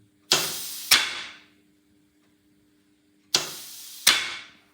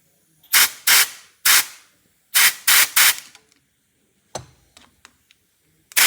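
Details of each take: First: Unimog 421 (U52) rear differential lock, after freeing the seized lock and reassembly, actuated with workshop airline: two sharp metallic clicks a half-second apart, repeated, with faint air hiss; lock engages and spring disengages cleanly. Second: Unimog 421 (U52) restoration, seized rear differential lock: WD40 applied, air pressure fed to the piston; about seven short sharp air hisses with no clunk of engagement. The diff lock piston is seized, so the axle trumpet must come off.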